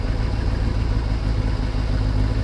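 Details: Kawasaki ZXR750 H1, after carburetor cleaning and balancing all four to about 22 on vacuum gauges: smooth, even inline-four idle with a steady low burble, no hunting or misfire; normal idle.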